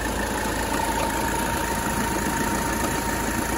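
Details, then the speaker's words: 1985 Mercedes 300TD diesel at idle after AC charging, still needing a little more freon: steady dense clatter with thin constant whine; AC compressor not sounding good. "yeah it's not sounding good"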